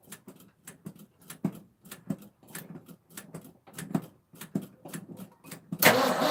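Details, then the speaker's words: 1984 Ford F-250 4x4, 460 7.5 L V8, carburetor replacement, after switching to the second fuel tank: slow, uneven cranking about two and a half turns a second, no firing; carburetor still dry, no fuel delivery, while coil sparks good. "nope same thing dry as a whistle that's no bueno"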